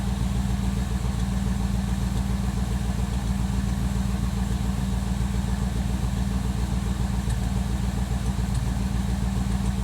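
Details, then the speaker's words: 1957 Chevrolet Bel Air V8 idling at operating temperature after Seafoam in the gas tank; deep idle with a soft, uneven thump about three or four times a second, a mild misfire that is improved but still present. "Alright, you can kind of hear the misfire here. Like I said, it's gotten better since I've ran the Seafoam in the gas tank, but it's still kind of there."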